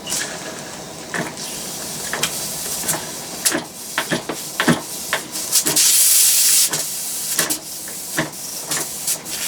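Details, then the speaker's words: Homemade single-acting oscillating steam engine, propane-fired boiler, started cold; irregular hissing bursts and wet spits with a long steam rush as condensate clears before settling; normal running on steam, spitting condensate at cold start. "not a cold engine and condenses so there'll be water all over the place and it'll be spitting like crazy to start with then it'll settle down and hopefully run smoothly"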